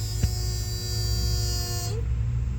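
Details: A/C condenser found not running: steady electrical buzz from the contactor as the fan and compressor fail to start; a failed run capacitor was found.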